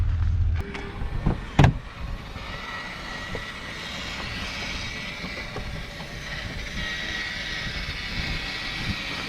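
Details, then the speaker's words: 2020 Grand Design 260RD fifth wheel slide-out: mechanism drones as the room extends, with a sharp pop as the wall flexes out, because the wall has separated from the floor; bracing needed to avoid catastrophic failure. "You could see how that wall flexed out. You heard that pop? That's not good. And that's why we're here is because that wall separated from the floor."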